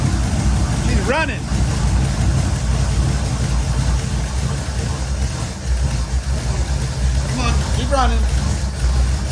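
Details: V8 Pinto pro street build, first start: a deep V8 rumble that stays steady but low and labored, barely hanging on at idle. It likely needs the choke hooked up, and a Duraspark ignition problem is suspected; cause not confirmed.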